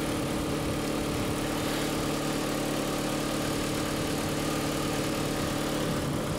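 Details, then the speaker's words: Corsa 1.8 with new standard exhaust, started after replacing the bad alternator: steady, even idle, smooth low hum, no knocks, whines or stumbles; battery light now out, running fine. "that's good sign the battery lights got out you remember the battery light was on when we last started it so that's good"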